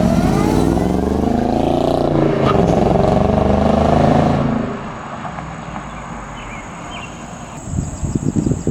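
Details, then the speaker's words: Shelby Mustang GT500 warmed up, after replacing failed intercooler pump and burnt pump harness: hard pull with supercharger whine climbing with revs over strong exhaust roar; boosting correctly for first time in 2 years, earlier worrying noise gone. "Finally running correctly. Finally going into boost now. It just feels so good to first of all hear my car correctly and hear the supercharger again."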